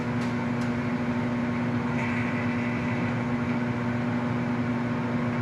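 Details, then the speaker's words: Lincoln Idealarc 250 welder cooling fan after re-greasing dried-up bearings (suspected bad, found fine): smooth, even whoosh of air with steady low hum, no rubbing or ticking; much quieter than before, normal fan running. "Yeah, that thing sounds fantastic. Blowing nice air through there."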